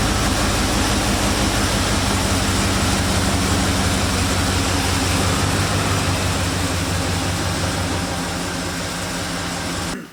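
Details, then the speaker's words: 2002 Dodge Durango heater blower motor after blower motor, resistor and main actuator work, stuck on defrost, with fan speeds reversed: a steady, even airflow roar that holds constant until switched off. It is working normally. "Oh yeah. Got some actual air now. You can actually hear the air now."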